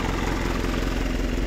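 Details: Fuso Canter 4M50 diesel that wouldn't start (no power at ECU), running after main relay replaced: even, steady diesel clatter at idle with no misses; engine runs smoothly and normally.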